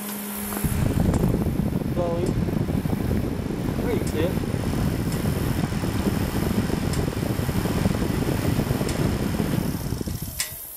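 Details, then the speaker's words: 2003 Yamaha Kodiak 400 with an overheating problem, fixed without new parts: the cooling fan now works, with a steady whir over a low, even idle, then cuts out near the end as it should. "okay I got the fan working you hear it in there know if you can see it or"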